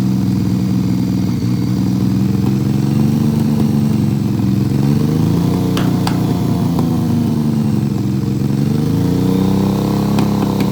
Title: BMW K75 Misfire